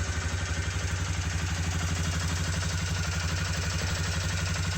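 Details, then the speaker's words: Suzuki Vinson 500 single-cylinder ATV after fixing bogging; smooth steady idle about four beats a second, instant throttle response and good power. "There's the fix. Instant throttle respond. Good power."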